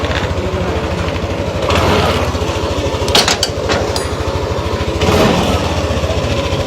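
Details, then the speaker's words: Repaired motorcycle after mechanic's fix, at idle: even, quick putter with no knock or rattle, just a few handling clicks; earlier noise is gone, engine runs quiet and healthy. "Wala na yung tunog, Daddy Frank. Wala na yung tunog. Oo nga, no? Tahimik na,"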